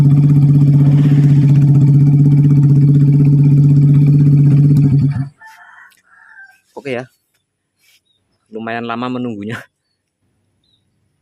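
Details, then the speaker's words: Yamaha Vega R bored up with oversize 450 Kawasaki Kaze piston, after replacing the conrod: smooth, even hum at steady speed for about five seconds, then shut off; no rattle or roughness; smoking cured, rough sound back to normal. "Let's fix it Bro, the smoking part has been cured. Then the rough sound has also returned to normal."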